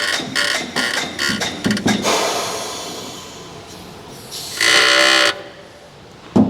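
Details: Tesla Model X front suspension as the car is lowered and body rocked: thuds then a sharp rubbery squeak under a second, from a worn lower control arm bushing.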